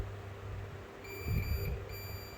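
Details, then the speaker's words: Multimeter set to the ohm/continuity range with the probes touched together: a steady high-pitched beep starts partway in, drops out briefly, then resumes, confirming the probes are good. "ये देखो beep की आवाज सुनाई दे रही है। तो इसका मतलब है कि प्रोब हमारा सही है"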